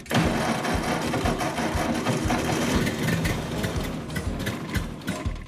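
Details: Ford 8N tractor with settings reset to factory and timing advanced from 0 to 4 degrees BTDC; uneven chugging about two beats a second, firing raggedly and stumbling without settling, engine flooded and hard to start.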